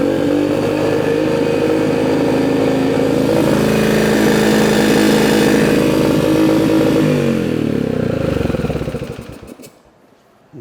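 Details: Small single-cylinder Yamaha dirt bike running before its top-end rebuild with Temu parts: a busy metallic clatter rides over the exhaust beat and rises with revs; after the swap the top end is quieter and less clangy.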